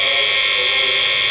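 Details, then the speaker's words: Mains electrical noise through an unfiltered power board that doesn't mention filtration, measured with a noise sniffer: steady high-pitched hissing buzz, no different from plugging directly into the wall socket. "really no difference to plug it directly into the wall socket"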